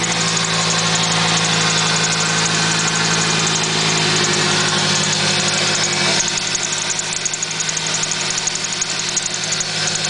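Sharp high-pitched chirp repeating about three times a second over an even idle, keeping time with the engine; squeak source not identified.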